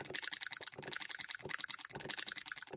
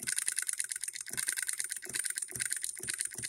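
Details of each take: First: Hand-built hit-and-miss solenoid electric engine model with ball governor, supply voltage lowered: rapid light clicks in uneven bursts, strokes in quick pairs as it fires twice to throw the governor balls out. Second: Handmade hit-and-miss solenoid (electric) model engine with ball governor, run at 24 volts; under load crisp, even clicks about four a second with no skipped beats: firing every stroke under load.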